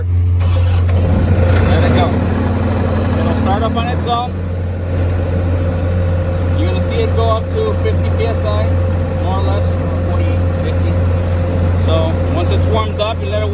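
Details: Sullair 185 T4 compressor with Kubota diesel engine: several seconds of rapid starter cranking after the ready signal, then the engine catches cleanly and settles into a steady, even run under a hum; normal engine start.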